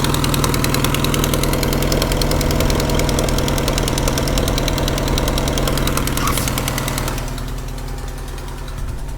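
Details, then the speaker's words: 1995 Vauxhall Cavalier MK3 X20XEV, after auxiliary belt and tensioner replacement: steady idle with light even tick about three per second in time with engine; owner can't locate it, thinks bottom end or sump area, suspected not confirmed. "still got to take in there as you can hear foreign and very good so I do struggle to hear where it's coming from sounds a bit bottom ends"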